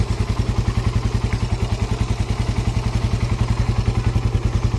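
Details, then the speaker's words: Raider R150 after replacing the exhaust elbow with a stainless one: fast, even exhaust pulses with no hiss or puffing between them; quiet, leak-free normal idle. "Okay naman. Tahimik din. Wala naman siyang singaw."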